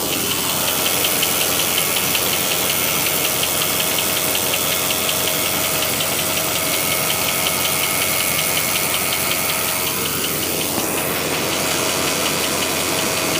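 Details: Jeep WJ cold start in the morning at idle: a fast, fairly regular metallic rattle of about three beats a second that seems to come from the transmission bell housing and stops completely after about three minutes; cause unknown.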